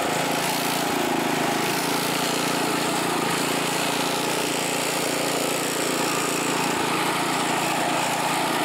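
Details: California Trimmer reel mower cutting dead grass after repair and carburetor fine-tuned an eighth to a quarter turn to stop surging; constant loud drone with reel chatter, speed steady without surging or dying; healthy under load.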